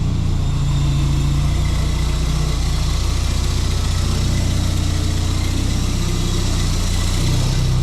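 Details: Suzuki Sierra idling after a jump start from a flat battery; low, steady idle with an even beat and no missed pulses; it is now firing on all 4 cylinders, possibly after the spark plugs were recently cleaned.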